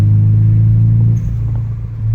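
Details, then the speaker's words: Nissan 180sx (J4 ECU, blacktop) after front-mount intercooler, MAF and O2 sensor replacement: deep, steady, even idle with no stumbles; slight exhaust leak noted but running great, rough idle fixed. "We got a little exhaust leak, but this thing sounds amazing and it's running great."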